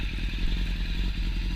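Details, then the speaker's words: 2006 Suzuki Bandit 650S with a newly fitted stainless Delkevic race can, baffle removed: loud rapid crackly exhaust pulses ending in a sharp rev, running cleanly but harshly. Judged too loud, louder than an R1, so the baffle may go back in. "I think that's too loud. That sounds brilliant, but I think it's too loud. I think I'm going to have to put the baffle back in."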